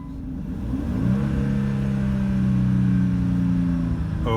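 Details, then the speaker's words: 2008 Jeep Commander 3.7 V6, 2WD, 154,000 miles, on test drive: after a quick throttle stab the engine note jumps and stays high for seconds instead of falling back; engine rev hang. "I stabbed the throttle and that's what it did. Rev and held there. These 3.7s, man, I don't like these motors."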